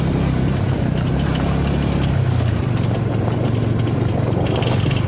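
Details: Suzuki V-Strom 250 SX single-cylinder at idle with light metallic rattling riding on the beat; rattle source unclear from listening alone.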